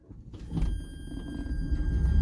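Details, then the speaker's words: EV-converted MG Midget reversing on its first test drive after a new electric motor install: a rough, low grinding rumble with the motor quiet. Forward drive is smooth and reverse is jumpy; the owner suspects transmission damage, unconfirmed. "I started to hear a horrible new grinding sound that I don't remember hearing before. The motor's quiet. So I guess we'll see if the transmission got damaged too."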